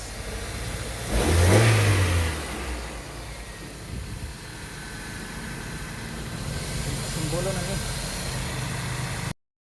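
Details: Toyota Corolla with a crank-no-start problem and ECU replacement: the engine catches, blips up smoothly, then settles to a steady, even idle with no misfire or stumble. It runs normally.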